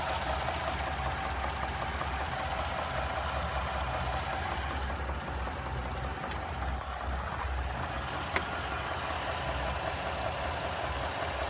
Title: 2017 3.5 ecoboost knocking sound